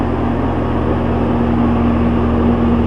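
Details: Walk-in meat shop cooler, outdoor compressor running for the first time in over 5 years, fan motor previously replaced: loud, constant steady hum with no rattle, grinding or cycling. Normal running.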